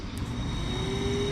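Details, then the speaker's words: Porsche 924 Turbo wiper motor, main gear removed, tested alone on high speed: a thin whine climbs slowly before steadying. The motor is sluggish taking off, and the owner suspects it is gummed up and plans cleaning and light lubrication. "It's a little sluggish, like taking off, which just makes me wonder if it's gummed up in there."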